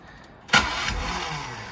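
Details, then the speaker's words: 225 horsepower outboard being restored, spark test on individual plug wires: starter whirs then one sharp cough as the cylinder briefly fires; that cylinder has spark and is good. "if it does so much as a sneeze that means that that cylinder is good and that cylinder has spark so"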